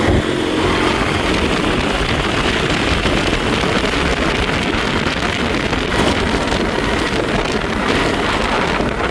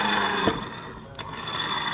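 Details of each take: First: Honda Beat scooter test ride after repairing a final drive (gear ratio) that whined and grated: steady speed under heavy wind rush, with no gear whine left. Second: Honda Beat scooter final drive (rasio) with the secondary pulley removed and the wheel turned: rough gritty grinding, thin steady whine and dull knocks, very loose and harsher under load; worn gearbox, pulley bearings still smooth.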